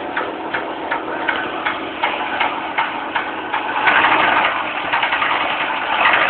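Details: Fiat Marea engine: light sharp ticks, two to three a second, slightly uneven, over a steady idle; engine ticking, source unclear.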